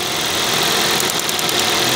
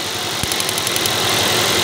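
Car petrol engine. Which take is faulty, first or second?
second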